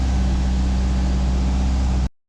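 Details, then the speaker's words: 2000 Subaru Impreza RS after JDM 6-speed manual swap, started with exhaust now fixed: deep even idle, steady low rumble, no ticks or blowing leaks, quieter than before; normal idle. "A little bit quieter now that I fixed the exhaust."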